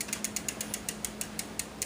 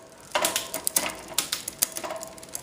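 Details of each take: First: Newly installed SRAM X5 rear derailleur on a Mongoose bike in the lowest gear: sharp, regular ticking about five times a second as the chain wants to drop down the cogs. Cable tension is too slack and is fixed by tightening the barrel adjuster. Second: SRAM X5 rear derailleur on a Mongoose bike with a cheap freewheel, after quarter-turn barrel adjuster tightening: quick crisp shift clicks, then even freewheel ticking with no rattle or chatter. Rear shifting is properly adjusted all the way down.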